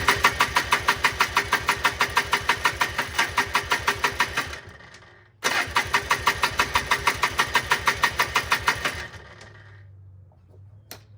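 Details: 1995 Polaris Trail Boss 250 ATV with bad backfires, exhaust loosely reattached: rapid even cranking pulses, about three per second, in two long bursts, never catching; crank, no start.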